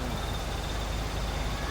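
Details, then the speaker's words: Maruti Gypsy engine started after mechanic's engine rework, coolant being added; even, steady hum with no rumbling or knocking, previous gad-gad rumble gone. Normal idle after repair. "आवाज़ तो है ही नहीं, वो देख ले, गड़ गड़ गड़ गड़ गड़ गड़ हो रही थी, वहाँ है कहीं, अब नहीं है।"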